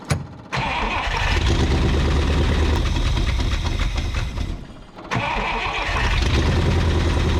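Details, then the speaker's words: 1962 Buick Invicta wagon, first run after 53 years in a salvage yard, on a temporary fuel hookup at the carburetor; fires and holds a fast, steady run that never drops to a slow idle despite a brief dip. Idle won't come down; cause unconfirmed. "Idle. Idle. I said idle. I told it to idle, but it didn't it didn't listen, did it?"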